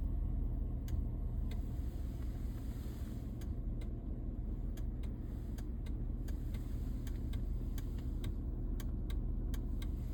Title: 2008 escalade central dashboard making clicking sound when step on brake pedal